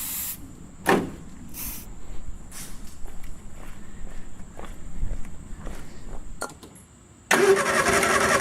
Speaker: all right so we had to fire off a little bit just by spraying a little bit of carb cleaner in the end of the carbs so I think we're in a good spot